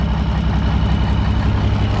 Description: cummins m11 engine first start up after cylinder head, injectors ,rocker assembly and jake brake installed.